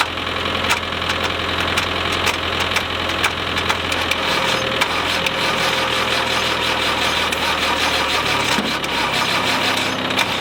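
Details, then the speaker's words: Land Rover 90, naturally aspirated diesel not started in eight years, last try on flat batteries in snow: cranking with irregular catches and knocks, firing partially and roughly, sort of started a little but never ran steadily. "well that's it it sort of started ish a little bit"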